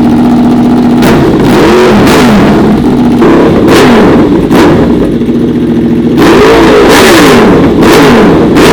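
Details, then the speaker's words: Honda VFR/CBR hybrid V4 with custom LexTek exhaust in short single-muffler configuration; crisp blips rising and falling sharply, clean pops and a little flame between revs, no mechanical noise; healthy. "I gotta tell you guys, I literally have goosebumps right now. This bike sounds so freaking amazing. I had an Aprilia RS before, and this bike sounds as good as that."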